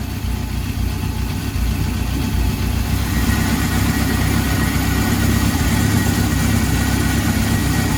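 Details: 1971 Honda CB750 K1 original survivor, about 18,000 miles, after carburetor synchronizing and clutch work. The four-cylinder fires up and holds a steady, even idle with no misses, and it started without choke. Runs healthy.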